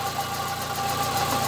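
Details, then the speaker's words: 2005 Fiat Palio 1.8 phase 2 at idle, checked with a stethoscope hose: steady idle with a constant high whirring whine riding over the engine; worn water pump bearing noise, parts bought for replacement. "Bueno no sé si se pareció el sonido pero Ya chequé que es la bomba del agua"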